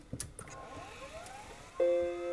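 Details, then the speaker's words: Apple HD20SC external SCSI hard drive tested directly on a Macintosh Classic II after being found stuck: quick rising whine settling to a steady tone within two seconds; spins up fast and works. "okay it's spun up very quickly compared to the other drives yes it's a working drive"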